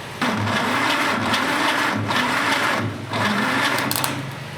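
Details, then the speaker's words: 1947 Willys CJ-2A engine, unrun for 30 years, cylinders soaked in Mystery Oil, compression test underway: starter drags it slowly, labored compression pulses with pauses, slow cranking from a 12V battery through 8-gauge jumper cables; cylinders reading about 100 PSI. "the engine's not cranking very fast because I'm trying to do it off a 12vt battery off of 8 gauge jumper cables"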